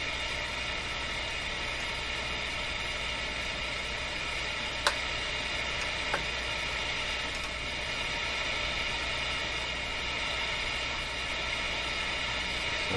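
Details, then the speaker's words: Nordmende Boheme C tube radio during IF alignment, before proper setup, listened to through the speaker: steady loud hiss with no programme; the tuning meter is probably reacting to the hiss; receiver hiss. "meter is probably reacting to the hiss more than anything"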